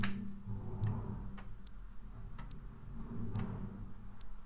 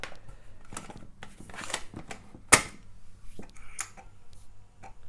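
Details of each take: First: Amiga 600 booted on Workbench 1.3 with a disk inserted: sharp ticks roughly every second over a quiet hum, with no steady reading sound; the floppy drive fails to read and gives a read error. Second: Amiga 600 on Kickstart 2.0, using a modified Alps floppy drive with the Amiga Power Pack disk: quick clicks and short head-seek chatter over a soft motor hum while loading; the disk loads to a mouse cursor, so the drive works.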